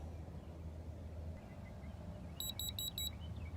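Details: Innova 3011 code reader re-reading after erasing codes, over a quiet idle: a short burst of four high, even beeps as it shows its result.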